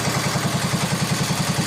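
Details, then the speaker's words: 1961 IH Cub Cadet Model 70 garden tractor, 7hp Kohler single, sat for years, just started with starting fluid: even steady thump about eight beats a second, no misses or knocks. Normal idle. "Runs like a top. Fuck yeah! You idle?"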